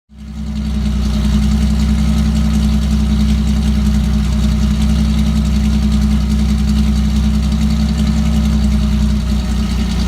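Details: Car engine idling with a slightly uneven, lumpy beat from a misfire of unknown cause. Disconnecting and reconnecting the MAF sensor makes no difference.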